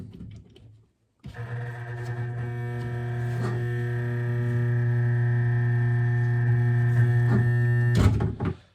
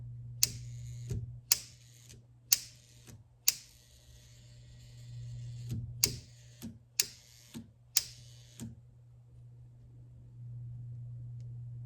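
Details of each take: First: Vintage L&A pressure washer from a barn: at switch-on a steady low electrical buzz holds for seven seconds, but the motor never turns. The noise comes from the controls, like a solenoid; the cause is not yet found. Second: Vintage L&A barn-find pressure washer: sharp clicks about once a second over a steady mains hum as the solenoid plunger pulls in and releases and the small transformer engages; normal solenoid operation.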